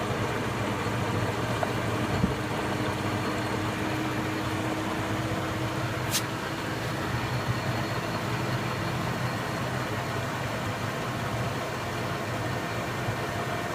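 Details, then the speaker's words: Indesit 092 washing machine on Cotton 95 descaling/maintenance wash, no load, spinning at 380 rpm: steady even hum and whoosh at slow constant spin, no thumps or grinding; normal low-speed spin. "That noise though. Yeah. What is it, 400? 300? 380. Wow. Record breaking for the slowest machine ever."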